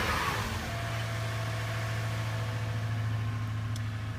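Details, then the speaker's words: 2005 Toyota Tundra 5.7L i-Force V8 after a 0-degree cold start, camera outside: deep, even rumble holding steady through the rev, no knocks, ticks or rattles. Normal engine revving. "Gotta love that 5.7 liter iForce V8."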